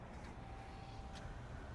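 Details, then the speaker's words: 2023 Ram 1500 3.6L Pentastar, which was running rough before, restarted right after a throttle body cleaning; quiet, steady low hum with an even beat, no stumbles or hunting: sounds much better, normal idle. "Forgot my keys. Wow, sounds so much better."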